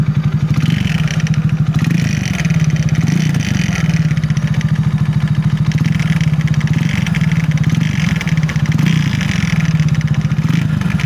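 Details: 250Z motorcycle idling steadily with a faint light clatter and scrape over the low engine beat; the cause was something scraping inside the side cover, a loose cup nut.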